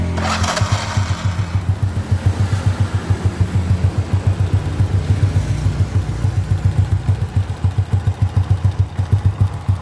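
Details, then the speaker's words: A Honda C800 motorcycle (same basic engine as the C100) idles with a steady, light tick about three times a second. Adjusting the valves did not cure it; with the cover off, the tick was traced to the magneto block, where the flywheel rubs the stator. "Dan setelah saya buka bagian penutup magnet, ternyata suara itu muncul di bagian blok magnet."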